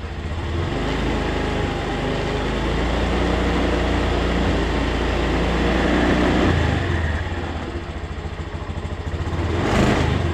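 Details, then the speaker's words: Honda Scoopy scooter started after fixing a flat battery, battery now fully charged: engine fires and holds a steady, even buzz with smooth swells as the throttle rises and falls; running healthy. "Mari kita coba memulainya. Mesinnya sudah menyala sekarang."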